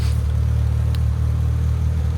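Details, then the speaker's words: Renault Clio Sport 182 after a new custom exhaust replacing a heavily patched MOT-failed system: steady, low, even idle rumble and revs with no rasp, blow or rattle; quiet and sounds exactly like the original. "Conor that's absolutely perfect perfect I'd said that sounds exactly like original one did perfect"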